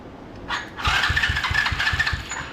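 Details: $40 125cc ATV quad, crank no start: starter cranks in quick even pulses, about six a second, for over a second with no firing; weak spark traced to a loose plug cap; earlier ran briefly on starting fluid.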